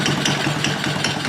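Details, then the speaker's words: Chinese 50cc Honda-clone kids' ATV, single cylinder, after wiring repair, idling before valve adjustment: quick even light clatter over the exhaust beat, top end sounds clacky; owner thinks valves need adjustment; clutch also needs adjusting. "she's running you can kind of hear the top end sounds a little cocky on it could use an adjustment"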